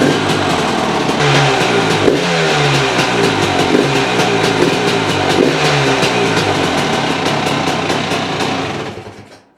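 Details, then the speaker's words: GPX TSE 300 motorcycle after installing an XTNG Gen 3 Plus carburetor, only idle screw adjusted: engine picks up cleanly on each blip and drops back smoothly to idle, no stumble or misfire; runs better than with the old carb. "so yeah, straight out of the box, it sounds better than um it did with the other chalk on with the other carb on. Um it runs sweet."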